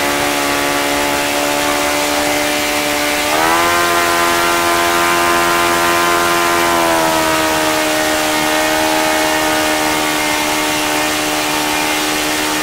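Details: OS FS-95V four-stroke glow model engine after rebuild with new bearings, hand-started warm, 15% four-stroke fuel, 14x6 prop, OS F plug: high buzzy note running fast and steady, stepping up briefly then settling to an even pitch; runs cleanly.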